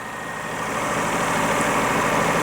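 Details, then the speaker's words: Daihatsu Charade on a very cold start idles high, steady and smooth, with no misses or knocks; normal fast cold idle. "she's idling quite High well she will do it's a very very cold start yeah true and Japanese cars tend to they tend to idle high sounds smooth though"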